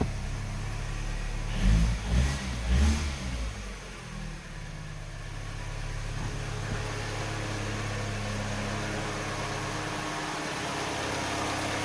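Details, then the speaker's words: 2007 Mini Cooper R56 first start after replacing all four spark plugs: fires with a couple of quick revs, then settles into a steady, even idle with no misses or ticking; seems fine. "everything seems fine i guess i'll know more on a drive"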